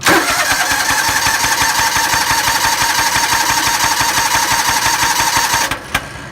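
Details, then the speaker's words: John Deere Gator engine cranks steadily at about three beats a second without catching; a spark plug firing is heard but it won't start. Owner suspects no compression and plans a compression test. Cranks but won't start. "if you hear that that was the that was the spark plug going off but it's not pushing it hard enough apparently I may not have any compression"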